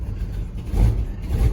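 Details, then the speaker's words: Squarebody Chevy/GMC pickup V8 idling on kerosene-smelling fuel with fuel leaks: the idle surges and sags unevenly and keeps trying to die. The owner blames the bad fuel, says it smells like it is burning oil, and notes it starts right up. "I just need to fix those field leaks and obviously get better gas in it so that she can stay on cuz you know obviously right now she was trying to die on me"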